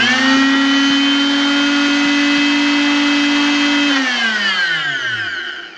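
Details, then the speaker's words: Fein MultiMaster oscillating tool (German-made, contractor grade): electronics smooth the inrush current with no big spike, so the tool soft-starts slowly, then speeds up to a steady even buzz at constant pitch, and coasts down smoothly on release; normal running. "so the electronics are smoothing that out you can actually hear that starts off real slow gay and then speeds up to here"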